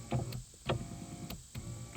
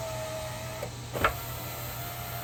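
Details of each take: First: 1997-2002 Saturn SL2 (2000), driver's rear window stuck down: motor whirs in short bursts with a clicking tick while the glass stays put; motor spins but glass doesn't move, regulator suspected, not confirmed. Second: 2000 Saturn SL2 driver's-side window motor and regulator tested with the switch temporarily reconnected, door panel off: steady even hum through full travel with only small clicks; normal power window motor operation.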